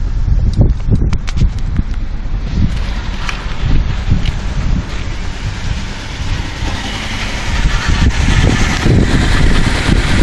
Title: 2012 Chevy Malibu rough idle and hesitation bad throttle body